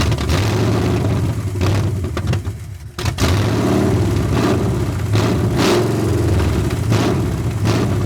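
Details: 1981 Ford Mustang 5.0 carbureted V8, parked since 1996, fed by a temporary electric fuel pump: uneven lumpy running that nearly dies at about three seconds then surges back; horrible vacuum leak suspected, distributor timing also suspected.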